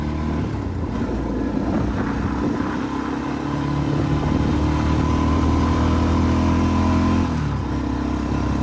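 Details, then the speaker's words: Arctic Cat 400 4x4 ATV with the new homemade straight-through glasspack/resonator built from the original muffler: smooth idle and revs, deep even exhaust note, no rattles or misses; audible but not obnoxious. "probably can't tell on camera but in real life it sounds really good you can hear it but it's not obnoxious"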